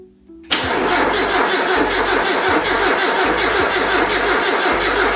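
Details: Mazda MX-5 after 12-13 years in a barn, engine first turned over to confirm not seized, oil low: starter cranks briefly, then it catches and settles into a steady even idle, no knocks; normal start.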